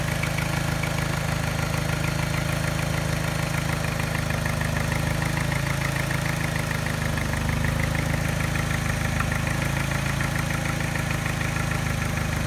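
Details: Mini engine idling with a mild light tap about three per second and slight miss causing vibration, disappears above 1200 rpm; persists after timing chain, tensioner and piston rings replaced, timing rechecked; not detected by scanner.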